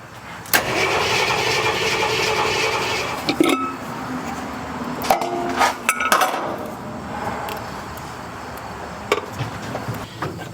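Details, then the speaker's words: Jeep J10 Honcho about 40 years old, left 20 years in a barn, now with rebuilt carburetor, tune-up, plugs, wires and coil, cranks steadily without firing; no fuel is suspected to be reaching it, possibly from the fuel pump: cranks but won't start. "Actually, I don't think you got fuel yet."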